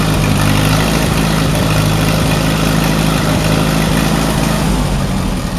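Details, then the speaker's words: Allis Chalmers WD45 tractor engine idling before a compression test, warming up; runs better with choke pulled. Lumpy, stumbling idle, about three uneven pulses a second: misfire, owner thinks cylinder 4 (end nearest radiator) is not firing; cause not confirmed. "I am gonna fix the side that's not firing, which is this farthest end down closer to the radiator, which I think is number 4, cylinder number 4."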